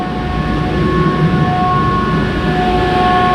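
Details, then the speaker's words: 1977 Pontiac Trans Am on max AC after adding a custom idle stop solenoid and a 12-inch condenser fan, because it stalled when AC kicked on: even idle under a steady mid-pitched fan hum; fan and idle stop working. "Yep, fans going good. And idle stop is working."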